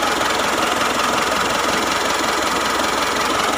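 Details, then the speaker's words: Mitsubishi Triton GLS 4D56 diesel at idle after fixing a metallic, bearing-like whine caused by the alternator pulley, replaced with a solid pulley: steady even clatter, faint turbo hiss, no scraping or bearing rumble; running fine. "Ini bukan puli bantalan, dan aman, tidak ada masalah."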